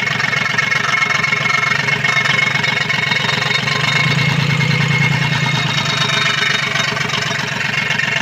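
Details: Komatsu PC-20 excavator, 3D84 diesel, with low power, black smoke and hard starting. Rough, uneven clatter at idle with an unsteady beat and labouring pulses; faulty injector nozzles.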